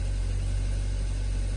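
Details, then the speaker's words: Hyundai Sonata 2.4 with a knock complaint, just started after cleaning the suspect solenoids (replacement likely needed): smooth even low idle with no tapping or knocking yet; the knock returned after about 10 minutes' drive, cause unconfirmed. "не слышу вообще стука двигателя двигатель работает достаточно Ровно сейчас штука до сих пор нет"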